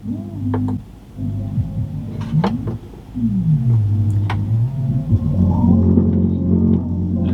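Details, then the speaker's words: Sony CFD-G500 boombox, cockroach-infested, after cleaning, in radio mode: a steady low hum under the audio, its level changing with display brightness. Amplifier hum, source not yet found. "Let's go to radio. Oh, we've got some hum there. Oh yeah, it's there."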